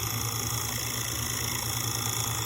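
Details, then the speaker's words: 1958 Baird/Emerson Wondergram record player: after a cam adjustment screw pulls the strap bracket tight over the motor, its earlier bearing rattle is gone. The motor now gives a low, steady hum with a faint hiss. "but it's much quieter it's not rattling"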